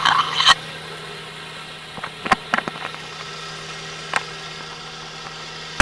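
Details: 1993 Geo Metro after a Seafoam treatment: a steady idle drone broken by sharp, uneven knocks roughly every one to two seconds; the cause of the knock is unknown.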